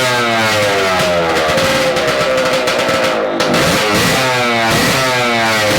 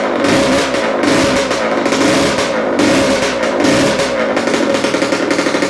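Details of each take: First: Yamaha AT-2 MX 125 two-stroke at the start of diagnosis. Blips rise and fall cleanly without bogging, so it runs normally at low revs, though it reportedly won't rev past 2000 rpm. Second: Yamaha AT-2 MX 125 two-stroke will not rev past 2000 rpm, with ignition suspected; after rewiring it crackles and stutters unevenly with a rough drone, better but still not right and slightly rich; misfire and poor revving.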